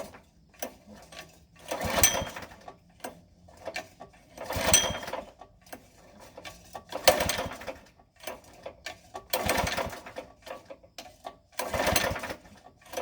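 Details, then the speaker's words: Rented gasoline core aerator, never test-started at the store: repeated recoil pulls every two to three seconds, each a brief rasping crank with no firing. It won't start, the gas smells off, cause unclear, and the machine was returned. "Alright, so we're back. Round 2. First machine wouldn't start. I had to load it up, drive it back."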